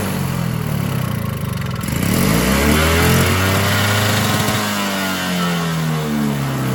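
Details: Toro Power Clear 21in single-stage electric-start snowblower, 141cc 4hp two-stroke, after carb cleaning: engine speed constantly swings up and down without settling. Surging persists; a new carburetor is considered and piston scoring was found on the exhaust side.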